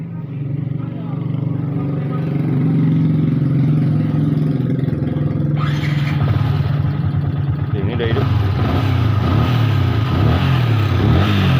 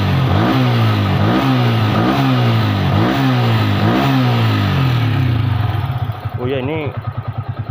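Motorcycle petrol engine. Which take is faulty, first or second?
first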